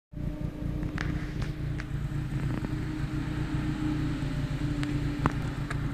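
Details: Audi B5 A4 AEB turbo petrol: vacuum delete cap blown off intake manifold; rough hunting idle with uneven stumbling beat, 10 mmHg vacuum, major power loss and misfires.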